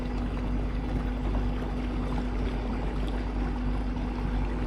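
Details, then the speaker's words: Minn Kota Terrova 24V 80lb trolling motor, speed setting 10, reading about 3.8: steady low hum near 200 Hz over water wash, smooth at full speed; running normally. "You can kind of hear the noise of the trolling motor, too. I wanted to see if that other one's any quieter."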